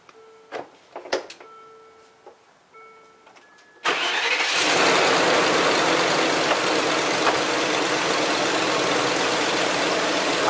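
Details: Land Rover Discovery 2 at first start-up and idle after a fan clutch replacement: a hissy, rapid, even puffing runs through the idle, the sharp chuff of a leaking exhaust; exhaust leak.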